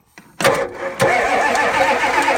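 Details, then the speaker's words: Red Ford F-250 diesel after sitting three to four months on uncharged batteries, glow plugs cycled: starter churns steadily with whirring drone but never catches; crank, no start, cause unconfirmed. "nope one two three four five six seven absolutely no start"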